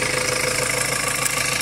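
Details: 2.2 L Ford Transit common-rail diesel after replacing the high-pressure pump's fuel metering valve, rail pressure where it should be: short steady idle clatter, even, no hunting or misfire.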